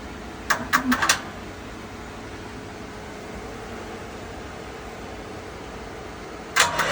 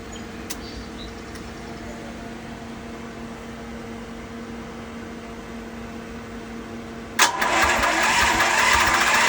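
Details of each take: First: Westinghouse WGen10500TFc tri-fuel generator on natural gas, hard starting since purchase, needs about 5 minutes of attempts, runs normally once started: short cranking bursts, silence, another brief crank, no catch. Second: Westinghouse WGen10500TFc tri-fuel generator on natural gas, hard starting since purchase and needing about five minutes of attempts: quiet hum, then the engine catches abruptly and settles into a loud, steady run; runs normally once started.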